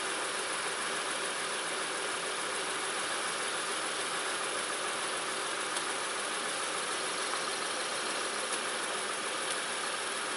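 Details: 2006 Honda Ridgeline RTL, engine at idle right after a DIY power steering pump replacement, fluid slightly over the full mark: steady even idle under a smooth hiss, no whine or groan from the new pump; steering turns easily, pump running normally.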